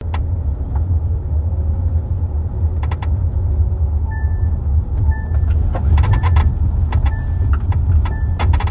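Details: 2023 Kia Telluride, unloaded, recorder in third-row driver-side pocket above armrest: irregular sharp creaks and ticks from trunk area over low road rumble while moving, worsening for months; dealer could not find cause.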